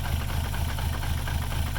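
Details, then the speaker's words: VR6 engine with the secondary air pump unplugged; low, uneven idle with a lumpy, wavering beat about four times a second, same as before unplugging; rough idle, cause not found. "So all we did is we unplugged the secondary air pump and well, I mean it's running. It was running like this before too."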